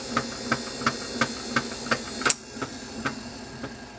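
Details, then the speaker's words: German Phono-Trix reel-to-reel tape recorder, possibly late 1950s or early 1960s, running: steady thump about three times a second over motor hiss; flat notch on the rubber flywheel drive wheel from motor shaft pressing while left in play position. "you hear that D that Thump Thump as it was going it's because on the inside the motor shaft is goes against the rubber on the flywheel and the thing was left in the play position when I got it so you know what that means there's a notch on there"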